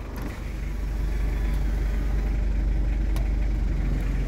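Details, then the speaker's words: 2012 Mazda BT-50 double cab turbo diesel (Ford Ranger twin), 135,000 km, just started: even, steady diesel clatter with smooth low rumble, no stumble or skip, turbo working well; normal healthy diesel idle. "kita coba dengarkan suara mesinnya mesin sangat garing mesin sangat mantap pemirsa tooksare tidak pincang Turbo juga bekerja dengan baik"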